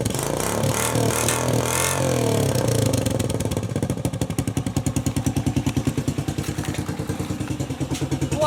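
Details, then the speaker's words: Mad Max Postie bike build, single with pod filter and cut-down open exhaust: revs up and drops back to fast punchy beat with sharp pops on the overrun; engine running fine, normal running with popping exhaust. "that sounds pretty cool just as it is got a real pop to it just give that a bit of a rip"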